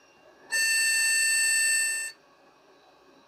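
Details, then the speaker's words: Vintage e-waste PC at power-up with two RAM sticks installed: one long, high-pitched beep of about 1.5 seconds and no boot, with the hard drives not spinning. It is a POST beep code, so the owner pulls a RAM stick to test. "not very happy definitely complaining about something"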